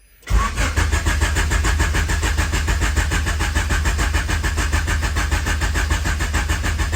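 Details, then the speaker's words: H22-swapped CB7 Honda Accord turbo build cranking after battery relocation to trunk and 0 gauge power wire; strong, brisk, even cranking but never catches; fuel pump heard, ECU on, cause of no start unknown. "I can't get it to start still. I don't know what's going on here. I hear fuel pump. ECU is on."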